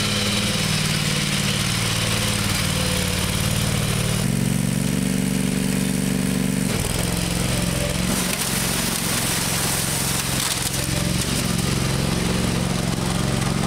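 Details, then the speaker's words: Murray lawn tractor with factory 16 hp Briggs Vanguard V-twin, valves adjusted, probably needs choke to start: engine chugs unevenly, pitch wandering and stumbling; runs rough, carburetor needs cleaning again, parts ordered. "got to clean the carburetor out again it runs kind of crappy I'm going to have to choke it probably to crank it"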